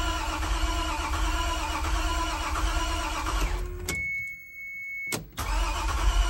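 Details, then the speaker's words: 1993 Toyota MR2 SW20 with a swapped 2GR-FE V6 on first fire-up after new spark plugs: steady starter cranking with a low churning beat that seems to want to catch but never fires. Crank, no start; owner suspects a popped fuse. "sounds like it wants to maybe try and catch yeah I think we're getting close"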